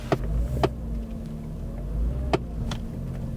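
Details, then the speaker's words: Low-mileage Mercedes CLK 55 AMG creeping forward after gearbox rebuild, nearly out of fuel: sharp irregular clicks every half second to second over low engine rumble, coming from behind the dashboard, a common CLK fault. "and we are moving that clicking you can hear is from behind the dashboard really common fault on clks"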